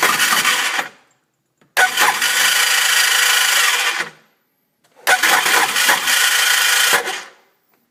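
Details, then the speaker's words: 2002 Sea-Doo GTX DI with fully charged battery, brand-new starter and starter relay jumped: three short bursts of high starter whirring that never catch, occasionally starts; cause was broken gear inside the engine that the starter engages; starter not engaging. "it tries to start and once in a while it will actually start up just enough juice to get it get it going but for some reason it it doesn't start right up that's that sound"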